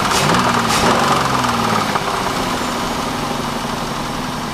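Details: Pontiac Bonneville 3.8 V6: after a hard pull onto the highway through gears 1 and 2, clicking then knocking began about 15 minutes later; rapid regular knock over idle. Owner suspects bent rod or bad rocker arm; coolant in oil and oil in coolant reported.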